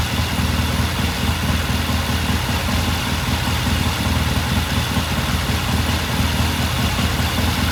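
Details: 1969 Triumph TR6 vintage British motorcycle, pilot jet cleaned and pilot air screw turned in half a turn for a richer starting circuit; after a cold start the twin gives a steady, even low thumping at a relaxed idle, no misses or stumbles: normal idle.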